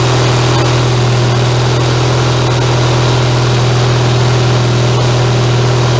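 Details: YTH 160CR riding mower engine, cold start on choke with little throttle, no muffler fitted: loud, raw, rough idle with harsh open bark and uneven thumping; running without muffler.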